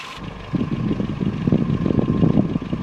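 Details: 1984 Nissan N12 1.5 GL engine after carburetor, vacuum advance hose and spark plug fixes: light quick ticking clatter over the idle; valves need adjustment.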